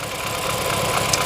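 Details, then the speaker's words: BMW F30 328i N20 engine: rough idle with an uneven, stumbling beat where one pulse keeps dropping out; cylinder 2 misfire from no compression after internal cylinder wall damage, blamed on abuse and modification. "the issue of this problem was abusing the vehicle so much and modifying the vehicle"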